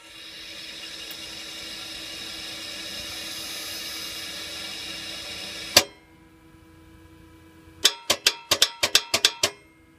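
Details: 2010 Toyota Sequoia 5.7 V8 won't start, microphone near the starter; quiet hum then a sharp click and rapid clicks with no cranking, starter judged bad.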